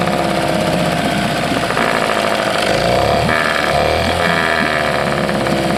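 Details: 1979 Johnson 6hp outboard with low compression: rough two-stroke note that surges and sags instead of holding steady; owner suspects fuel starvation and considers adjusting the carburetor jet or checking the fuel pump. Cause is unconfirmed.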